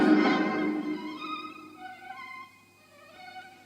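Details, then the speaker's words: Restored Sony TC 106 reel-to-reel playing a nearly 60-year-old charity-shop tape of violin music: slow wavering pitch wobbling on sustained notes; wow and flutter not heard with new recordings, likely from aged tape. "Lot of wow and flutter. You can hear it."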